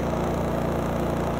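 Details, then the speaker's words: Honda EU3200i generator (GX130 single-cylinder OHC, fuel-injected, 89 engine hours) idling with no load at about 54–56 dB: low, even hum with a steady pulse and no knocks. Normal idle. "and you can hear it's pretty quiet this is about 54 56 DB right now and you can see it's not running any load"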